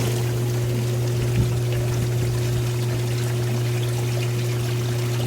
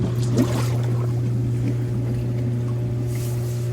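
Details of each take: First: Hot tub with a newly fitted BP7 spa pack replacing a burnt one, single pump run on high speed to purge air; a steady, even low hum under pouring water, with the pump running smoothly. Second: Hot tub after replacing a burnt spa pack with a new BP7, refilled, single pump run on high speed during priming: steady low motor hum with irregular gurgling and sputtering water as trapped air purges from the lines.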